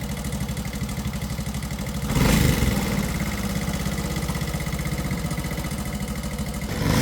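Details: 2004 SYM motorcycle, over 20 years old and rarely repaired, with white exhaust smoke and hard starting: a steady single-cylinder putter with a quick rev and a blip at the end. The engine runs evenly.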